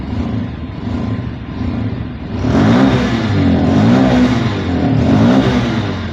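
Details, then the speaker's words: Bajaj Pulsar 150 BS6 with idle not holding, stalling and low pickup: after MAP sensor reads correctly and idle is stable, engine still bogs with a muffled choked rise under throttle; no fault codes stored, cause unknown. "வண்டி வந்து ஆனால் அடைக்குதான்னு நம்ம check பண்ணணும். வண்டி வந்து அடைக்கிற problem இருக்குது."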